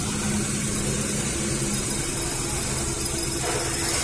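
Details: Maruti Suzuki 800, about 2010, CNG/petrol, idling with codes P0301–P0304: rough, uneven, lumpy idle with low pickup and jerks; one cylinder is dead from a shorted spark plug wire.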